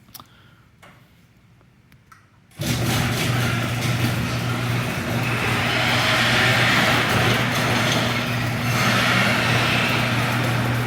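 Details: Garage door before lubrication with 3-in-1 garage door lube: after the start, a steady low drone and groan continue evenly as the door travels, suggesting a dry mechanism.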